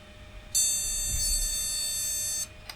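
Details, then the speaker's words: Retro AT PC with no onboard video, POST analyzer card fitted and its original RAM: one long, steady beep of about two seconds at power-on, a RAM error; owner suspects dirty RAM slots and bad connections. "let's see if this actually boots at all power on go yeah it's going to say there's a ram"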